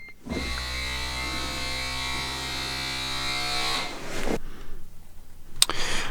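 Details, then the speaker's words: Smart ForTwo Electric Drive, over 100,000 km, 11 years, brake vacuum pump after rust cleanup; brake pressed, steady electric whirr about 3.5 s then clean shutoff; owner unsure if louder than before; normal operation. "get in here and hit the brake you can hear it I don't know if it's louder than it used to be to be hard to say"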